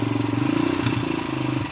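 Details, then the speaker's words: 2004 Suzuki DR-Z125L dirt bike after carb jet cleaning, kick-started: quick, even single-cylinder putter of about fifteen beats a second holding steady at idle; it runs without smoke, rusty chain squeaks. "pull this up pick the bike up o something squeaky think that Rusty Chain's a little squeaky well it runs doesn't smoke"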